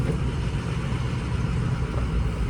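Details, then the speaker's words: 2006 Ford 6.0 Powerstroke diesel after an improper injector install that caused smoking: low idle with a slightly lumpy, uneven beat but no clear miss; owner suspects the ICP sensor, not confirmed. Uneven idle. "See, I'm not really hearing a miss, [Music] but I am hearing a just a funky little idle. More screams to ICP."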